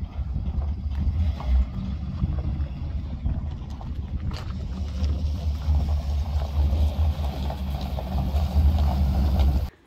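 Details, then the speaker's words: 1972 Ford F100 driving after 12+ years idle, running on a replacement carburetor with cleaned fuel lines: deep, even rumble under way, no misses or knocks over road noise; normal running. "We got this thing finally running. Took a new carburetor, cleaning out the fuel lines and stuff."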